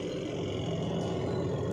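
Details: Semi-automatic washing machine spinner after repair of noisy spin: steady low hum with even whirr, no rubbing, scraping or knocking; spinner now runs smoothly and quietly.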